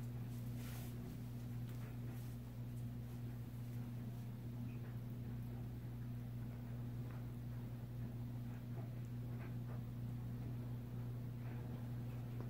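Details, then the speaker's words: Vintage Supreme Mk. I 52" spinner ceiling fan (Taiwan, stamped vented motor, 3-speed knob) running on high, rated 220 rpm; smooth even low hum with faint higher tone, good airflow. "it is very quiet though like I could it barely has any motor hum and the bearings are silent"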